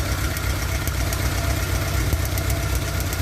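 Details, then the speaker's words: Opel Astra 1.4 petrol idling unevenly with a loose stumbling beat and faint sharp snaps from worn, leaking spark plug leads; ignition fault causing misfire, loss of pulling power and higher fuel use; leads should be checked and replaced. "Burcu kablosunun önemi burada ortaya çıkıyor arabayı tekliyor"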